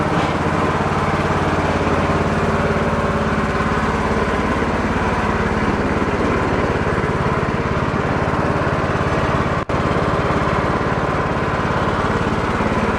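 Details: Cub Cadet lawn tractor, hydrostatic transmission suspected bad, driving on wheels under load: steady, even engine drone with no whine or grinding; transmission good, mower deck belt suspected faulty.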